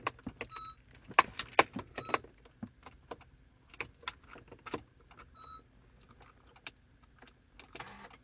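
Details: Honda Accord (2013, per TSB 13-038) push-button start that won't activate the ignition: repeated sharp button clicks and short beeps, then a brief motor whir as the steering lock releases and the ignition engages.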